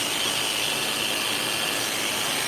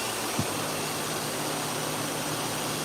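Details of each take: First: Hair clipper running with play in the blade socket, before adjustment: high, steady buzzing whine with a raspy edge; the loose blade socket makes it noisy, and squeezing the socket to reduce play should quieten it. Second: Hair clipper running after blade socket play was squeezed tighter to reduce noise: steady, even electric buzz with constant hiss, no rattle or knock; blade runs smooth and quiet.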